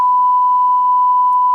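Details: 1984 Infinity RS 6/B speaker, whose woofer has a bad surround, playing a midrange test tone: clean, steady mid-pitched tone with no buzz, rattle or distortion; the midrange driver sounds healthy.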